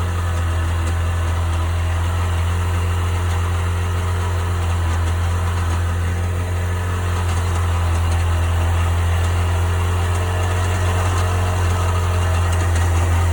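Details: 1998 Sea-Doo GS 720 at idle: steady heavy low drone with a faint rough buzz on top; strange noise, owner seeking cause, unidentified.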